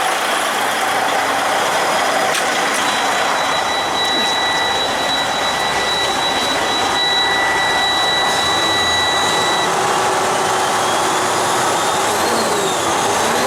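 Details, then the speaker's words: Freightliner truck diesel, turbocharger installed the night before, checked before a test drive: clean, even turbo whistle held several seconds over a steady diesel rumble, no flutter or rattle; turbo sounds healthy. "this is the one we put the turbo on last night so i'm just making sure that the boost comes up on it i'll take it for a drive here after a bit but i can already tell right now the sounds good"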